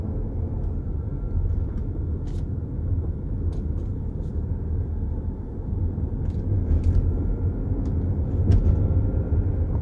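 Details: BMW F15 X5 driving: irregular light knocks over steady road rumble from the front suspension; cause unknown.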